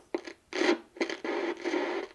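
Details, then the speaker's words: 1970 Inoue IC-2F crystal-controlled 2-meter mobile ham radio, capacitors ESR-tested fine, front panel cleaned: scratchy, uneven crackle bursts each time the dirty volume control knob is turned up. "we got dirty control there you hear that it's gonna get more volume out of it here"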